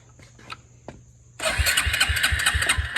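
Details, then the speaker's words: Suzuki King Quad 300 ATV, first crank, oil checked about halfway: short clicks then even starter-driven chugging about three per second; engine spins freely but never catches; spark and carburetor not yet checked. "good enough to crank it over anyway so we'll see if it'll crank over"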